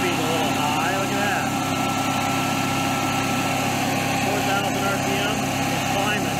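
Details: Generac-built Honeywell propane standby generator with an overspeed fault that recurs after reset: constant high-pitched drone with no hunting, well above normal speed. A failing stepper motor is suspected, not confirmed.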